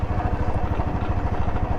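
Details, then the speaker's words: Royal Enfield Classic 350 in neutral: a steady, quick khat-khat knock over the single-cylinder thump, like a nut rattling inside, after costly showroom work; the cause was a dry rear wheel axle that needed greasing. "आप लोग किस तरीके की खटखट की आवाज कर रही अभी मैंने न्यूट्रल कर रखी ये ये देखिए खट खट खट खट ऐसा लग रहा है कोई नट अंदर बज रहा है"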